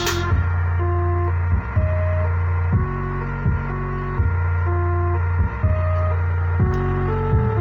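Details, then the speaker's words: Active speaker after repair: full steady bass with no buzz or crackle, clean and pure, whereas before repair the bass made a "brek brek" distorted sound. "Jadi untuk suaranya sudah tidak sember, jadi sudah jernih basnya murni."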